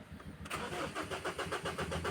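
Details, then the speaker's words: 2015 Ford Ranger 2.2 with codes cleared: even starter churn at about five beats a second that never catches into a run; crank-no-start. "Naku ayaw pa ring umandar mga boss. Another one off. On start. Ah wala pa rin talaga dito"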